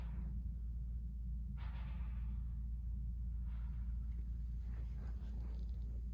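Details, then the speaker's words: Rheem 90%+ gas furnace in an attic, inducer motor running: over a steady low rumble, a soft whoosh as the main burners light and settle into an even roar; normal ignition. "i know i'm not patient either there's ignition you hear that there's flame we have main burner ignition you can hear it"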